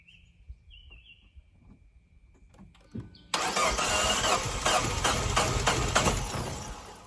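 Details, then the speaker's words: 2012 Fiat 500: the starter grinds the engine over unevenly for a few seconds and cuts out without firing, blamed on lost oil prime; fixed by pushing a screwdriver into a small hole in the oil filter housing to prime it. "here's what the thing is doing listen to for the crank is acts like the starter or the flywheel"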